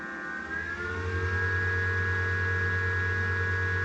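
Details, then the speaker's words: Power station/solar generator after replacing the blown 20 A 250 V PCB fuse, charging on AC at about 1,000 W: even low hum with steady fan whir, no rattles or cycling; normal charging with cooling fans running. "at 1,000 watts about. Fans going strong."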